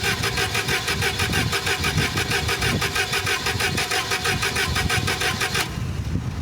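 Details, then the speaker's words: Toyota forklift auction buy died after lowering the forks and won't restart; starter churns steadily about three beats a second for nearly six seconds, never catches. Owner suspects evaporator (vaporizer) fluid film, may need new diaphragms; unconfirmed. "We get a nothing. So, that's a problem."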